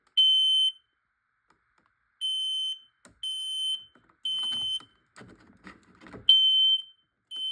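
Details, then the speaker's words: Detector in full alarm during a smoke and carbon monoxide alarm test: loud high-pitched half-second beeps repeating with short gaps. It activated just before the smoke test spray was applied. "That was so funny how it activated quick when I was about to spray it."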